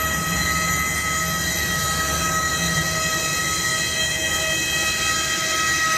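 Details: Aircraft at an airport giving a loud, steady, high-pitched whine with several shrill tones that stays constant. The cause of the noise is unknown. Loud steady whine.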